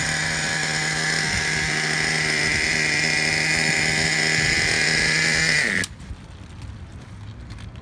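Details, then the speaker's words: 2009 Traxxas Revo 3.3 nitro RC truck after retuning the needles and idle. A high, buzzy two-stroke scream holds steady, then cuts out abruptly at about six seconds as it runs out of gas; stall from fuel starvation. "out of gas. Out of gas. She ran out of gas. She's out of gas."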